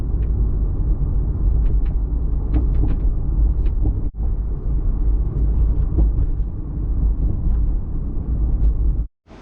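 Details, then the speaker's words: Toyota Supra MKIV on test drive after hatch rattle fix, hatch sitting slightly higher: steady low road rumble inside the car with only faint ticks, hatch rattle completely gone. "Okay, back from the test drive, and as you may have noticed, that rattle is completely gone as far as the hatch goes."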